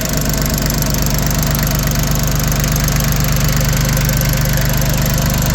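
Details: Completely refurbished Yanmar YM1720D 4x4 compact diesel tractor with new hoses, belt, starter, battery and air filter: a steady, even low diesel clatter at idle with no misses or extra knocks and no smoke, running smoothly.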